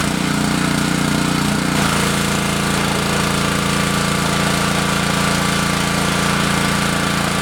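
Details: Repaired Honda GC190 pressure washer, after carburetor cleaning and an oil change, under pump load spraying a Wheel Horse tractor. Steady, even single-cylinder beat whose note shifts once as spraying starts; runs strong and smooth.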